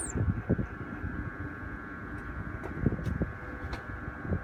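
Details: BMW E46 with new idle control valve, MAF, intake boot and DISA: steady high whistling hiss over a low rough idle that drops to about 400 rpm; air leak at idle, with high oil consumption, source unfound.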